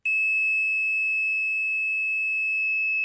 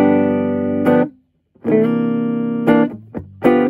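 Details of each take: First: Torque Acoustics T100L guitar amp, dead with no sound: continuity meter gives a steady, unbroken tone for about three seconds across a 2200 µF filter capacitor that looks fine cosmetically; dead-shorted, short disappears when removed. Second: Torque Acoustics T100L guitar amp (Made in England, about 1989–early 90s) after repair of a no-sound fault: guitar chords ring clean and full with crisp attacks, no hum, crackle or distortion; very tight sound, working.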